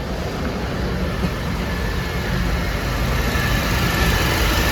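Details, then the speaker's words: Mercedes-Benz C200 petrol after repair of ECM-caused misfires on cylinders 1–3; it previously shook at 2000 rpm, with a faulty cam sensor, and injectors were cleaned and plugs replaced; now a steady, even hum with no misfire, running normally. "দেখুন গাড়ি ইঞ্জিনও আর missing কিছু নেই, কোনো missing কোনো problem"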